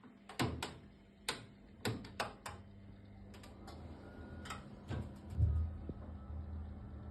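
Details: Worcester 24i Junior combi boiler: irregular sharp bangs and knocks about every second over a low steady hum and a faint hiss. It is banging and hissing, cause unknown.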